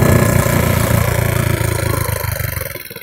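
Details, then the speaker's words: 150cc GY6 scooter during a failed wheelie attempt: single-cylinder putter sags and slows over a few seconds as revs fall; the idle drops, cause unclear. "let's see what we can okay yeah she is not your how the Idol drop down for a little bit she's not having it"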